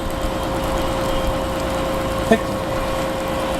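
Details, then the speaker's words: Bus diesel idling after a cold start once ice was cleared, air holding at 110 PSI: a constant mid-pitched compressor tone over the steady drone with one brief click, as the airbags and other tanks fill; normal air system filling. "you can hear it filling the airbags and the all the other tanks"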